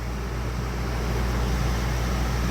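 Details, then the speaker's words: Old camper trailer sealed rooftop air conditioner after refrigerant recharge runs with a steady even low hum, no rattles or cycling; cold air again, refrigerant heard in the coil; low charge was the issue. "That was for sure the issue. I actually hear the refrigerant running through the coil right now. probably doesn't grab it on the mic here, but it's nice and cold."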